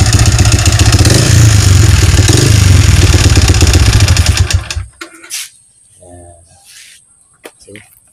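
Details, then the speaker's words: Yamaha Vixion motorcycle engine before repair, smoking, oil-starved from a leaking clutch cover gasket: rough, hollow knocking clatter at idle for about five seconds, then shut off; piston-to-cylinder clearance (piston slap), fixed by replacing block and piston. "Jadi di sini kalau menurut pengalaman saya, kalau hal yang demikian kendala pada mesin ini suara kasar, ini adalah suara seher dan blok."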